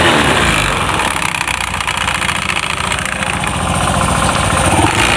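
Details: Honda Beat FI scooter idling with CVT cover removed, very dirty inside: loose, uneven rattling chatter from the belt drive, probably the roller area.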